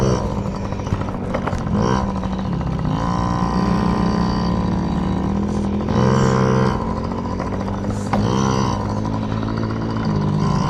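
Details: Yamaha PW50 two-stroke, just after carburetor cleaned (jets, float checked) to cure bogging and dying at wide open; warmed up, being run dry: crisp buzz picks up cleanly each blip, settles back without bogging; carburetion sounds right.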